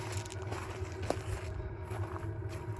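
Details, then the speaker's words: Diesel air heater on a small Lil Snoozy camper, exhaust tube heat-wrapped, small 5.5-liter fuel tank: soft low steady rumble with faint ticking pulse, quiet and barely audible at 10 feet. Running normally. "and so yeah it's a it's not making a lot of noise I think we're going to be very happy with this"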